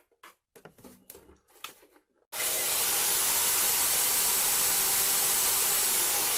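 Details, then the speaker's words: About 30-year-old Craftsman belt sander after its dry bearings were oiled: it starts and runs with a smooth, even whir, and the intermittent squeal from the bearings is gone. "can so there's no squealing it was making a terrible squealing noise at times not all the time but that's probably what it was those bearings"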